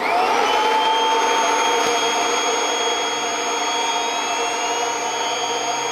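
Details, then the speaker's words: Kirby Avalir 2 vacuum, stretch hose fully stretched around the G6 then unhooked: steady high whine over motor hum rising as the turbo sander speeds up once hose stretch and airflow restriction are released. "and unstretched all right you could hear there's a lot more difference with that sander it's a lot easier to see on it"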